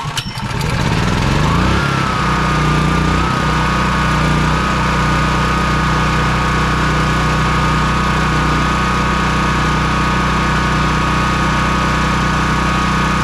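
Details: Honda EB3800X generator, GX240 8 hp engine, new carburetor after it wouldn't run off choke; sticking governor freed, speed set for about 125 volts, near 60 Hz, no load: catches, settles into smooth even governed hum, no hunting; normal governed idle.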